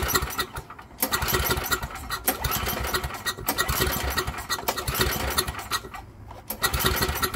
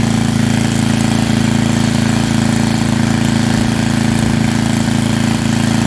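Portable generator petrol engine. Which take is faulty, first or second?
first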